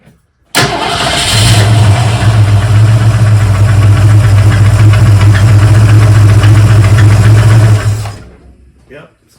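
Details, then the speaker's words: 1971 Mercury Comet GT V8, accessory belts and mechanical fuel pump removed: lumpy idle with a steady light tick/knock about three or four per second, seemingly from the front; source still unknown, valve train next to inspect. "Still makes that noise. What is it, folks? What could it be? Even though it sounds like it's coming from here"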